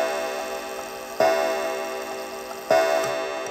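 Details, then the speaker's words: Antique count-wheel kitchen clock, strike tripped manually by lifting the lever: eight clear, evenly spaced bell strikes over faint ticking until the lever drops into a deep count-wheel tooth; normal hour strike. "so there was eight strikes i was a little off there and you can see the lever went into one of those deep teeth which arrested the striking movement"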